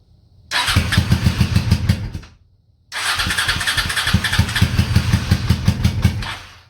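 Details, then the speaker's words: Honda Shadow motorcycle (about 20k miles on the same oil, parked 4 years, Seafoam in oil and intake) cranks in two bursts of steady chugging on a booster box but never catches; hard starting, owner suspects a weak fuel pump starving it of fuel. "This thing's like starving for fuel or something."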